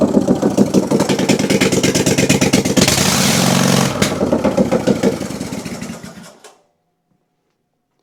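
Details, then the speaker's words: Kohler twin engine on a Simplicity Stallion zero-turn, after head gasket and carb work, run with the suspected plugged exhaust removed: loud, open, crisp exhaust beat staying steady through a brief rev before shutdown; runs well without the exhaust. "seems to run pretty great without the exhaust hooked up."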